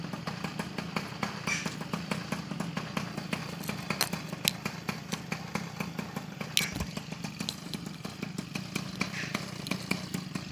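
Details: Peugeot 103 SP moped, first start after wiring a DD engine: quick, even two-stroke popping at a steady fast idle, with wind in the background, left to warm up. It idles normally.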